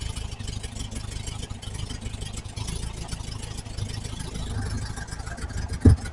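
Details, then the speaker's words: 1968 VW Type 3 Squareback, original Bosch fuel injection: low, uneven idle that stumbles and wavers after vacuum leaks were fixed; still won't fuel properly, timing suspected too far advanced as it backfires through the intake. "All right, she's still not happy. but there's no vacuum leaks now. So why isn't it wanting to fuel?"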